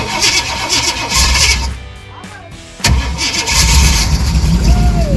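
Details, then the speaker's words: 1978 Jeep J20, AMC 401, first start in 20 years, fed from a fuel line into the tank: long churning crank with uneven firing, a brief drop-out, more cranking, no catch; two crossed spark plug wires suspected. "here we go okay sounds like i might have a uh a wire crossed like i got a wire crossed"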